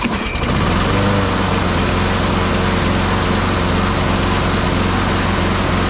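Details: Craftsman 650 series push mower (Briggs & Stratton 650) after new air filter, oil change and new blade, carburetor primed: fires after a short pull and settles into a steady even buzz; runs healthy.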